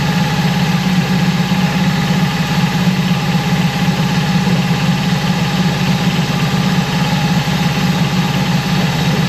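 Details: Mercury 25hp four-stroke EFI outboard after idle air control solenoid replacement, warming up: low idle wavers and sags, sounding about to stall; unstable idle persists, owner baffled, cause unknown.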